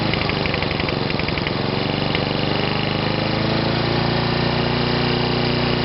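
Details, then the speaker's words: Sovereign lawnmower engine, now self-cleared of smoke, settling into a busy, steady high-pitched drone that climbs slightly and holds at a high speed; it is running fast. "so I don't smoke you're nothing they're running a bit fast"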